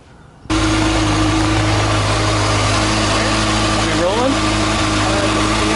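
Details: 2013 Kawasaki Ninja ZX-6R (636) after valve clearance check and adjustment, aftermarket manual cam chain tensioner forgotten loose: engine catches and settles into an even fast idle hum with a brief rev-like sweep; sounds healthy.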